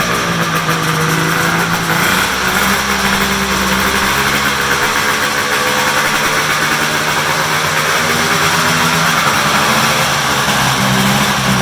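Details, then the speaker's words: Polaris big triple two-stroke muscle snowmobile, cold start after sitting in the shop, run on a stand with hood closed; loud crisp steady high buzzing idle, pitch wavering slightly as it warms. Runs clean and healthy. "I said these were all cold starts and they've been sitting in the shop so"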